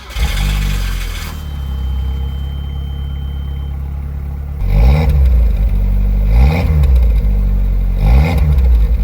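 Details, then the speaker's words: One-litre Japanese kei car idling at an auction, with a light knock and periodic revving lumps; the source of the knock is unclear, and the exhaust itself sounds fine. "I don't know if there supposed to be that knocky but that sounds all right out the back it's a little one liter just Japanese K car"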